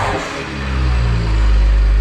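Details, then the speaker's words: BMW 1M E82 revved after replacing blown charge pipe, checking for boost leaks; clean, smooth rev rising and holding with steady deep exhaust, no hiss of escaping boost, no leaks; normal revving. "well great success everything is working no leaks nothing"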